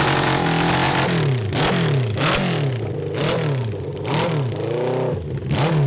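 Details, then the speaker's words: 1982 Honda CB750 engine for a cross kart, fine at idle but breaking up between 4,000 rpm and redline: revs rise and drop with a ragged stumbling edge under load; carburetors suspected running lean, jetting being drilled out. "it's still acting like it's lean it's uh breaking up and everything and all that stuff it's acting just like it's lean"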